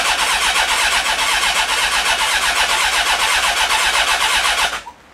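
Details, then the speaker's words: Honda CB1300 first start after full rebuild, clutch in, ABS warning light on: starter spins engine steadily about four beats a second for nearly five seconds without firing; fuel smelled, owner fears fuel pump, spark unchecked. "Okay, nothing's happening. Everything electrically is working, but nothing's happening. I hope that's not the fuel pump that's knackered."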